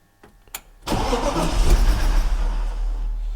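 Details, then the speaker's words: BMW E36 race car engine's first start after two years standing, full fuel tank, coolant not yet added, air mass sensor not connected: starter cranks steadily, engine chuffs trying to catch but won't start; owner suspects unconnected air mass sensor. "we have a sound H it tries to start but doesn't start Maybe sounds a bit rough but 2 years of standing feels like that"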